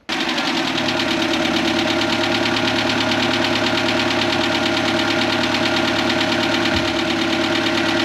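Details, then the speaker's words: Ford Fiesta Mk4 1.3L Endura petrol, laid up since 2019, after full service and tappet adjustment: steady, even idle with only a light, quick valve-train tick; tappets now much quieter; slow restart was due to an empty fuel filter. "well I think you can agree that was so much quieter now with this tap it's done took a bit of a while to get it started but that's cuz the fuel filter was empty"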